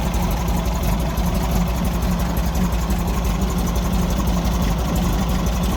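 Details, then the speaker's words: 1964 VW Beetle air-cooled flat-four with a backfire, a lumpy, irregular idle: pulling plug leads 4 and 2 changed the note considerably, but 1 and 3 barely did; the owner suspects a carburettor blockage. "uh okay now I'm a little bit confused because when I took off uh number four and number two uh which are on opposite sides of the engine um the note of the engine changed considerably"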